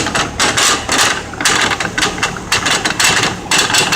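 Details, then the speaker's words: Lincoln MKZ all-wheel drive that makes noise on acceleration; rhythmic scraping, grinding bursts about twice a second from a bad driveshaft carrier bearing, so the entire driveshaft likely needs replacing. Joints checked fine. "Customer complained it was making noise on acceleration and that, and when they were driving around here hearing all kind of crazy sounds. Yep, if yours sounds like this, I want you to know this is probably what you're looking at. One of the carrier bearings got to be bad right here."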